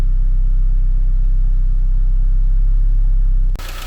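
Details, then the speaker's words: 1999 Saab 9-3 with B204E engine and Garrett T25 turbo, 238,000 km, no engine light, no exhaust leak: fast light tick about four per second at steady idle, ticking quite bad; source not pinned down. "good now it's ticking quite bad it's sticking quite bad"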